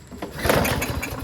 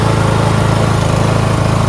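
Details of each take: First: Lawn-Boy push mower with a Briggs 550 140cc engine and black plastic carburetor, full tank but won't start. Sprayed with ether, choke closed, it fires in a short uneven burst, catches, then fades. It gets no fuel; the carburetor is likely gummed up with the float and needle stuck. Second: Lawn-Boy push mower, Briggs 550 140cc, black plastic carburetor, after governor spring bar bent forward to stop surging; constant even buzz at about 3,500 rpm, no hunting, normal running.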